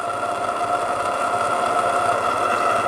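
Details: RC steam gas burner, double-diaphragm regulator with idle needle screw fully unscrewed so only regulation feeds gas: steady even roar, faint constant whistle, no surging or popping; burner running normally.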